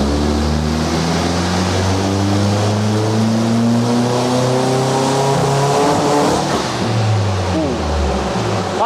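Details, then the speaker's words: VW Fox with 1.8T GTI engine and new turbo on dyno rollers, after a 212 hp first run: pulls hard with pitch climbing, then stumbles and breaks up near the top; misfire under load, N75 boost solenoid suspected. "yeah a little bit of a mfire bit a mfire was there little bit of a mire"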